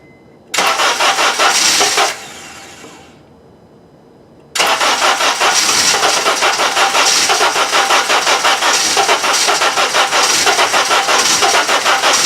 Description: Honda CNG GX Natural Gas Hard To start Cold Weather.